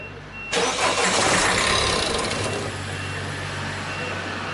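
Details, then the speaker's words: Peugeot 3008/308 diesel whose engine note changed to knocking on the motorway, before injector removal: engine catches and settles into a sharp, rhythmic clatter of about 3.5 ticks a second over the idle; injector knock. "صاحبها يمشي في الطريق السريع في الاوتوروت، حصل له مشكل، الموتور تغير صوته وفما تقربيع، فما صوت غير عادي."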